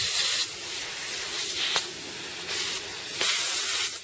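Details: Second-hand air tool run from a small compressor: sharp steady hiss of air escaping at the joint, surging as the tool is handled; compressed air leak at the joint, to be resealed with PTFE tape.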